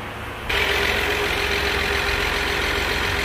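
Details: Ford EcoSport with Dragon engine, suspected of having had the wrong oil: idles steadily with a constant mid-pitched tone over it, an abnormal noise; solenoid signal checked by oscilloscope, cause not confirmed by ear.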